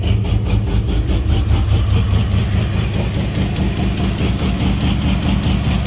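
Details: Fox-body with SLP exhaust, cold start after a junkyard 3G alternator swap; deep lumpy V8 idle with a steady loping beat and strong exhaust rumble, even and settled; healthy cold idle.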